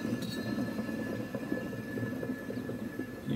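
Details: Bad Boy Maverick zero-turn mower deck with the belt removed, one spindle spun by hand: dry, gritty clicking repeating each turn. The worn spindle bearing needs replacement.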